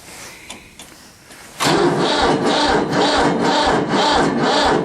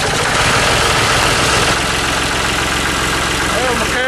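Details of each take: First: Diesel tractor with an older battery and intake heater, cold start at about 30–32°F: sluggish, even cranking at about two compressions a second that never catches; weak battery, owner then fetches a booster pack. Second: Diesel tractor boosted with a Black & Decker jump starter on a cold morning of about 32°F: loud, rough but steady diesel clatter at idle, about four firing beats a second, no stalling; healthy idle after starting.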